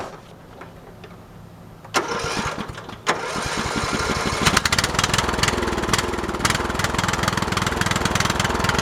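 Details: Briggs & Stratton 13 hp OHV on an MTD/White LT300 tractor, driven around under load. The single-cylinder beat rises and sags, smoothing out as the tractor bounces; owner suspects water in the float bowl, engine surging.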